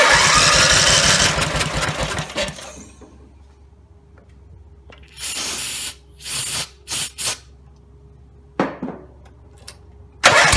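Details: Rebuilt Briggs & Stratton 17 HP engine (carb rebuilt, new plugs, sump, valves reseated, gaskets): roars flat out a couple of seconds then sags and dies when throttle lowered; owner suspects throttle linkage lever not on its screw.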